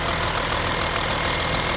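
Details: Audi A6 3.0 TDI diesel at idle: loud, sharp, rapid metallic ticking from the passenger side of the engine, even in rhythm; cause still unknown.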